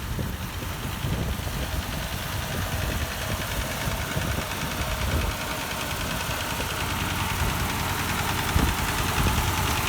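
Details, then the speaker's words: Ford 8N tractor, partially restored, not run in years; uneven idle with a regular stumble, one cylinder dropping out despite plug change. Number four cylinder had no compression and an oily plug, its exhaust valve stuck wide open. "you can hear it missing no difference see if we can get that well we just took a compression check of number four cylinder here and no compression at all"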